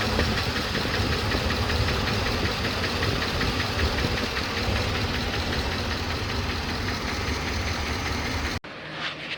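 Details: 2007 Trailblazer LT V8, 119,000 miles, at idle after a failed motor flush: quick, steady ticking about four per second over the idle, a valvetrain tick from a collapsed lifter; DOD eliminator kit with cam and lifters ordered.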